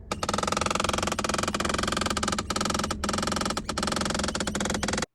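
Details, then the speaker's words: Honda Odyssey dash with blower running, loud rapid machine-gun clicking from under the driver-side dash; driver vent blowing hot while set to cold: failing HVAC blend door actuator, to be replaced. "it actually also makes this really loud clicking noise you can check this out"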